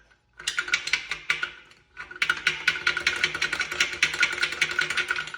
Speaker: That's called a rod knock. Or some people call it a engine knock.